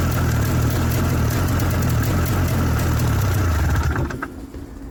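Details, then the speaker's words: 1994 Yamaha VX500 Vmax 500 two-stroke snowmobile: low, lumpy idle for about four seconds, then sags and dies. Idling too low and stalling; owner suspects something isn't strong enough or the spark is weak. "it's idling a little low I should adjust that probably but for now it's all good"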